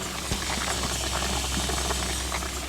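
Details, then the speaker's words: 1985 Gehl 4600 skid steer, Perkins 4.108 diesel, waiting for the block heater to warm it before starting: steady low hum under constant fizzing, crackling bubbles as coolant boils; owner suspects the heater isn't switching off at its set temperature. "I don't know if you can like hear it boiling in there but hopefully it's not going to hurt anything"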